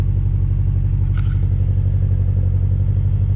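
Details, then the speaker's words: Subaru BRZ idling right after a Deatschwerks DW300 fuel pump was installed and the battery reconnected, no check engine light: a low rumble slowly rising and falling, a hunting idle. The owner wonders about the battery disconnect; cause unconfirmed. "That's the issue I was having. So this is the general problem that I'm having with the car. So you see how it just rev up and down?"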